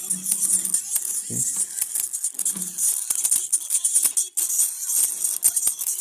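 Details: Acer Swift 3 laptop playing music at 100% volume, before speaker replacement, with a very weak startup tone: harsh, buzzy sound with a rattling hiss on top and almost no bass; distorted blown speaker.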